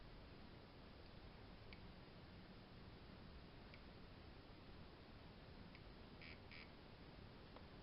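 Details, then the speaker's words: Amstrad CPC 6128 with Gotek Deluxe floppy emulator loading Wonder Boy: faint short chirps about every two seconds over steady hiss from its quiet speaker imitating floppy drive sound; working normally. "There is a very, if you can hear that, a very quiet little chirpy speaker imitating the sound of the floppy drive."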